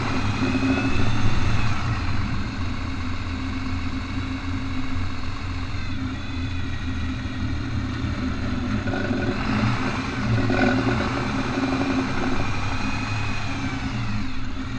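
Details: Truck rolling at low speed in 4x4 while turning gives an uneven, rapid ratcheting chatter, about three or four a second, over the engine; drivetrain binding suspected, cause not confirmed.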